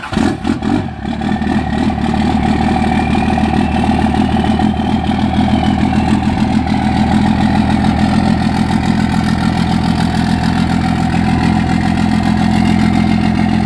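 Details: Second-gen Cummins 24-valve diesel with VP44 pump, cold start at about 30°F at 8 a.m., fuel pressure about 21-22 psi (slightly high); catches then stumbles into a lumpy, hiccuping idle; rough cold start, cause not pinned down.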